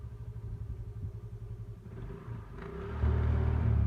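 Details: TVS Jupiter scooter after CVT drive belt replacement, reassembled: the small engine ticks over with a steady low putter, then picks up to a smooth even run; healthy, no belt slap or the earlier rattle.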